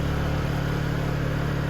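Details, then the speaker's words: Honda EU2000i inverter generator after valve lash adjustment, Eco mode off, heat gun at full tilt drawing 1485–1490 W: smooth, even hum at constant pitch, no misses or surging; generator working fine under load. "now full tilt jumped right up 1490 1485 looking very good the generator's working just fine"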